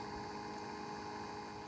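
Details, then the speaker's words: Mk1 Audi TT new replacement auxiliary electric water pump running after engine shutdown, for about 10 minutes; steady low hum with faint whir, normal operation after the leak repair. "And now you can hear the pump pumping away. So that'll pump for about 10 minutes and then turn itself"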